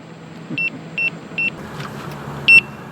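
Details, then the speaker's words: Gotway/Begode EX-N electric unicycle at end of full range test, 78.9 miles, battery nearly depleted, speed already limited to 17 mph; sitting with no load, short high even beeps: low-battery warning. "so you can hear it's beeping just sitting there beeping and i'm at 78.9 miles"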